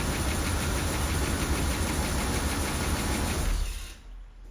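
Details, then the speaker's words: Rolls-Royce Corniche V8 after new ignition leads, with two mixed-up B-bank leads corrected to the distributor firing order: steady, even low rumble at idle for a few seconds, then shut off; the earlier misfire is gone. "see the problem was you could hear it misfiring before I realized that I got two of the leads mixed up on the B bank and it's easily done it's one of them but all good now"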